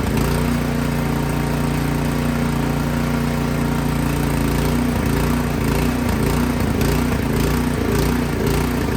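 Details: Craftsman snow blower single-cylinder engine that started then died, after spraying carb cleaner into the main jet without removing the carburetor: speed rises and sags, hunting and surging; carburetor still partly clogged.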